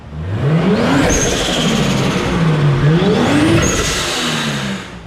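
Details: Toyota Supra MK3 7M-GTE with fully built bottom end, mostly stock, first drive: two clean blips climbing and falling smoothly, no knocks or rattles; revs freely, though it idles high at 1300 rpm (TPS suspected).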